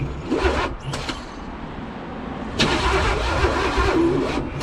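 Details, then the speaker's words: 1985 Pontiac Trans Am 5.7 350 small-block Chevy, unrun for seven years after being freed from seizure, primed with petrol and two-stroke oil; loud uneven starter cranking a bit over two beats a second, no catch, battery problem suspected. "I've seen it was uh spinning a lot faster though that's the kind of speed we need to start the engine I think I'm having battery problems guys"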